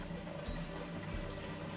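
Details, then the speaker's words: 12-volt battery-powered gas pump running on its internal batteries, pumping fuel from a Costco gas can: soft low motor hum with liquid gurgling, steady but weak; pumps a little slow. "does pump. Pumps a little slow."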